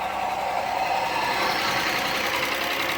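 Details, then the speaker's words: 1996 Audi 80 Coupe 2.6 V6, unmoved 15 years, on stale old fuel, air cleaner off: uneven, lumpy idle with light ticking; unclear if starved hydraulic tappets, exhaust leak or stuck valve. "it definitely doesn't sound a happy bunny um I can't tell if it's hydraulic tappets which haven't got enough oil if it's an exhaust leak or stuck valve or a combination of all those but it runs"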